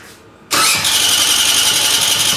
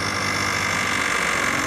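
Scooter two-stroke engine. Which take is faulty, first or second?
second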